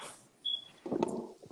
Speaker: That smoke detector that's beeping in the background. There's a smoke detector. It beeps every 30 seconds and it goes beep.